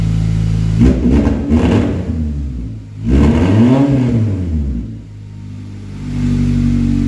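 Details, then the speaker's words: Honda Accord CD5 four-cylinder running with exhaust removed before cat-back install: loud raw unmuffled rasp swelling through two throttle blips, open straight off the header. "You guys know what an open header car sounds like."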